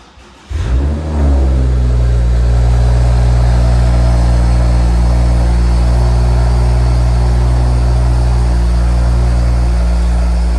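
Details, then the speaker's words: BMW 335i with EML warning light on, cold start: petrol engine idles with an uneven pulsing beat, then three quick revs; misfiring, diagnosed next with a code scan. "hi guys welcome back to the channel today we having a BMW 335i and it's got a EML light on and it sounds like it's misfiring so we're going to diagnose it and hopefully fix it"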